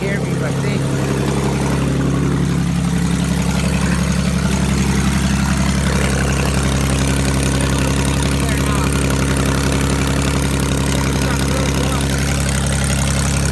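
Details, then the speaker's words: 2005 Ford Mustang 4.0 that would not start, running with the two upstream oxygen sensors removed ahead of the catalytic converters: a loud, raspy, unmuffled idle that runs steady. This confirms the cats are plugged. "so that was the issue my cats are plugged up and now the car can breathe when I pulled those oxygen sensors"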